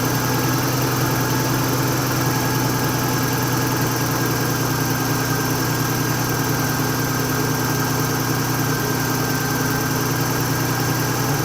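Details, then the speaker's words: Nissan R31 with RB30 engine at idle before the fix, fine cold but struggling once warm, oil pressure 50–60 psi on a rev: uneven, lumpy beat with irregular stumbles; a misfire later traced to a dirty distributor sensor. "okay so as you could probably hear from that video there is something funky going on um I don't know what oil pressure was looking good it was sitting up sort of 50 to 60 lb when I gave it a REV um when it was cold it was fine as soon as it started warming up it really struggled"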